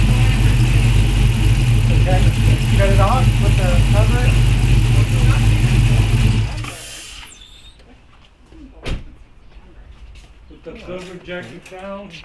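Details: 2016 Dodge Charger R/T, Hemi 5.7 with upgraded camshaft and full bolt-ons, first startup after cam install; loud, choppy idle with a steady low thump about four times a second before shutting off. Normal idle.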